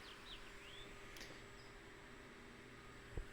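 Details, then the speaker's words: Electric radiator fan on an upgraded Autocool HF-125 ground-side PWM controller, about 6 volts with simulated rising sensor temperature: quiet, steady, even hum with no rattle, fan sped up and running normally. "You can hear that the fan is sped up."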